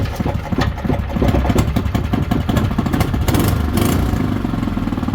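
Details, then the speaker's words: Small single-cylinder engine being prepped for sale, started with slightly less than full choke and a non-original replacement muffler; pulls over, fires, then putters steadily and evenly. Was a smoker before, now runs good. "It was a smoker before. Runs good though."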